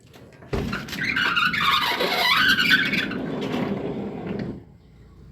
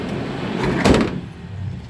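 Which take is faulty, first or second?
first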